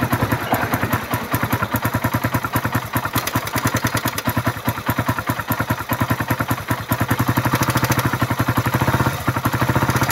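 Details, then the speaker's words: Suzuki Raider run without an oil change, restarted after carburetor cleaning, new filter, spark plug, regulator, battery and fresh oil: idling single with sharp, fast metallic ticking on every firing beat, steady throughout; valvetrain worn from running dry. "Pakinggan natin yung makina dahil maingay yung makina nito, walang natuyuan. Ayan. Yung pumipitik na yan. Yung pumipitik."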